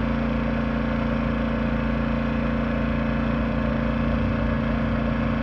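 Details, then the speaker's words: Yamaha 2000is inverter generator in Eco mode running a 13,500 BTU trailer air conditioner's fan only, compressor delayed by a Hyper Engineering soft start: steady even hum with no hunting or misses under the light load; running healthy. "got about another minute here right now it's just running the fan so the fan is running on the ACU"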